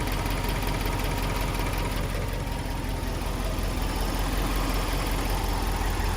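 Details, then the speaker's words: Subaru Liberty B4 twin-turbo at idle: an uneven ticking rattle, about three a second, loudest on one side of the engine; source unclear, with timing gear or parts near the turbo suspected. "To my untrained eye, it doesn't really sound that regular or orderly to be in the engine."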